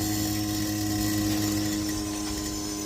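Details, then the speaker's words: 1993 Mustang Summer edition after stalling: a steady fixed-tone electric hum as the fuel pump keeps running with no engine firing; fuel pump relay, EEC relays, grounds, regulator and fuel rail already replaced, owner considering the ECU next. "the fuel bump just stays on."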